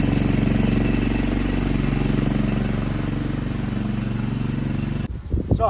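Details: Free Cub Cadet push mower (probably MTD, Powermore engine) after carburetor cleaning and wheel repair: steady, even drone with no misses or knocks until shut off; normal running.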